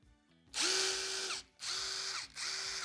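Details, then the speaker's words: Counterfeit AliExpress copy of a DeWalt DCF850 impact driver, free-run sound test: three short bursts with loud, raspy high whine and sharp spin-down; harsh and not normal compared with the genuine tool. "아니었구나. 전혀 정상적이지가 않았어요. 얘만 들어봤을 때는 뭔가 소리가 좀 센 느낌이었는데 정품 틀어보니까 바로 요거거든요."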